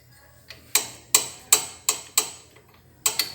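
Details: Fiat Idea that clunks when braking, even on flat road: sharp metallic clicks as the brake pad is rocked by hand, vertical play in the caliper; steering parts recently replaced with no play; fix is a new pad or crimping the pad.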